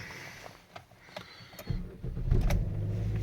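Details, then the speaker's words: 2011 Chevrolet Cruze 1.4L turbo with an intermittent no-crank, no-start because the PCM did not energize the crank relay: faint clicks, then the engine cranks and starts once the exhaust cam sensor counter reaches zero, settling to a steady low run; normal crank and start. "and now the car starts as soon as it saw that exhaust cam go to zero it said yep we're good to go"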